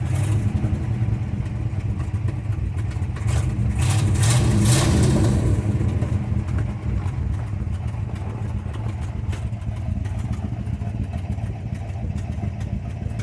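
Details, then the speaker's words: 1964 Ford F100 just unloaded, started in neutral, tired and reluctant to start even warm: loose uneven idle, rough off-beat exhaust pulse and clatter on light rev; missing, with big exhaust leaks, possibly at the heads. "you can hear it missing we've got an exhaust leak here"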